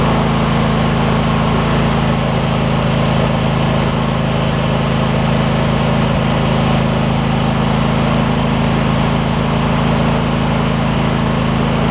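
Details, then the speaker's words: Husqvarna rider, 24hp Briggs V-twin, about 190 hours, after refitting fallen-off right-cylinder exhaust pushrod: steady even low rumble at fast idle, no misses, knocks or stumbles; started within half a revolution, repaired. "They didn't even go over a half a revolution before it started up. That's awesome."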